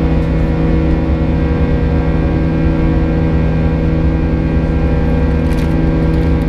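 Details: United Airlines A320 climbing out of Houston IAH for NYC LaGuardia, recorded in the cabin: steady buzz-saw engine drone with a fixed high-pitched tone from 1:33 until level-off; cause unknown, and the uploader heard it once before in an exit row.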